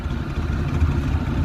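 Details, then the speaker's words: Maruti Eeco after a complete engine rebuild and a test drive at 80–90: a steady, even, low exhaust beat at slow running with no misses or pops, firing cleanly. Normal exhaust note. "તો કોઈ જાતનો sound નથી કોઈ જાતનું મિસફાયરિંગ નથી. એક number ગાડીનું engine કામ થયું છે."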